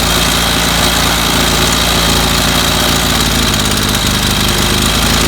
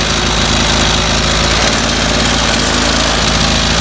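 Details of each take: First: 25cc two-stroke string trimmer that ran five minutes then stalled, missing its fuel filter. At fast idle it buzzes loud and steady, its note wavering as the low-speed mixture screw is turned. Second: 25cc two-stroke string trimmer that stalled after about 5 minutes and has no fuel filter: high, even buzz at full throttle while the high-speed carburetor screw is adjusted; the mixture sounds right.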